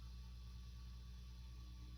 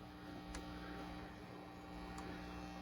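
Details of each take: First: 1976 Fender Twin Reverb after restoration and service: faint, steady low mains hum with nothing rising or crackling, far quieter than before. Normal low hum. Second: 1976 Silverface Fender Twin Reverb amp, master and channels at five: a steady low buzzing hum with a bright overtone that persists even with volume down. Excessive mains hum from a faulty hum balance pot.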